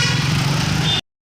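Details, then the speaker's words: Hero Super Splendor motorcycle after clutch housing replacement to cure a rattling engine sound, riding in gear: steady, even single-cylinder thrum with no knocks or rattles under light load. Problem fixed, normal running. "Start मार दिए अब gear डालेंगे आगे को बढ़ देखिए दोस्तो sound पूरा स्मूथ है हमारा यहां पर प्रॉब्लम सेट आउट हो चुका है"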